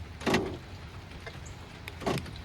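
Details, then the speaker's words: Ford power door locks after programming remote key fobs (key turned 8 times in 10 s, driver door open): two crisp actuator clunks two seconds apart, unlock then lock, responding cleanly; normal door lock actuation, keyless entry now works. "Now these remote controls should now work, and I have keyless entry. Yeah, so let's unlock. Lock. Awesome."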